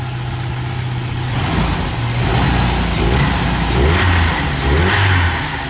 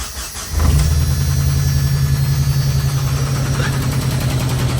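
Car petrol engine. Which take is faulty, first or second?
second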